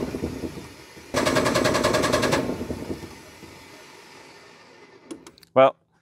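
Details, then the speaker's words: MEP 1040 military diesel generator, injection pump likely unprimed: starter chatters about a second with no firing then dies; no fuel reaching injectors; crank no start from fuel starvation. "it's cranking so I got to figure out why it doesn't want to start I'll do a little bit of troubleshooting pretty sure I figured out why it's cranking but not starting"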